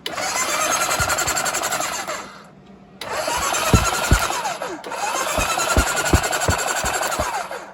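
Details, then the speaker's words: Kawasaki KZ1000 police bike after an engine swap, first start in many years, pickup coils slightly corroded: engine turns over in sluggish, uneven bursts with long pauses and never catches; cranking not fast enough; later fixed by replacing carburetor boots. "get sparked when I turn it off sparking okay so it's just turning over not fast enough"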